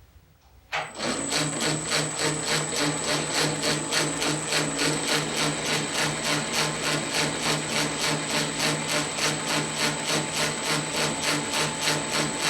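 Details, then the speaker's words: 1910 Rivett 8-inch precision lathe, after headstock rebuild with new spindle gear, test facing cut on power cross feed in noisier tumbler position: steady high whine over even tick about three per second; gear whine from noisy tumbler-position gear. "well I think we're pretty good got to do something about that noisy gear in this tumbler position though"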